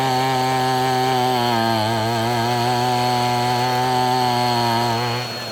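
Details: Abandoned weed eater after crimping the wrong-side fuel line so it draws only from the correct side: crisp, even two-stroke buzz holding steady pitch before easing off; running cleanly.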